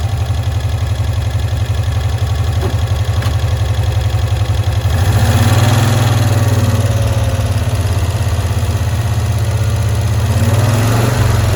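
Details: 1965 Cushman Truckster small twin, sitting one year, after freeing a stuck valve, air filter cover off: low, steady putter with an even beat and no misses or surging; clean, healthy idle.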